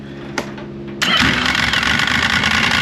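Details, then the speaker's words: 2005 Yamaha Vector snowmobile that never got the factory clutch repair kit, heard with the clutch cover on: engine catches and settles into a fast, loose clatter over idle; primary clutch rattle, a known factory problem. "these hear that rattling that's what rattles so let's let's listen to it now with the cover on"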